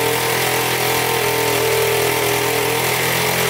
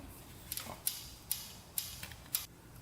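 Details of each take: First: 1977 Honda Z50 four-stroke that would not start, running after fixing an air leak at the throttle body, with a loose timing chain: fast, even putter at steady idle, no misfires or clatter; oil leaking near flywheel. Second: 1977 Honda Z50 that won't start, engine turned over by hand: sharp light clicks about twice a second from very loose valve, intake clearance far above the 0.003 in spec; valve lash tapping before adjustment.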